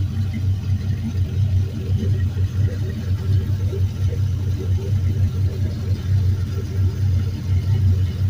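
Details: Used 5.3L Gen 3 LM7 V8, 140k miles, drive-by-wire, on test stand warming up (about 150°F coolant, 14.2 V charging): deep, steady burble, even firing, no knocks, ticks or misses; very quiet, normal idle.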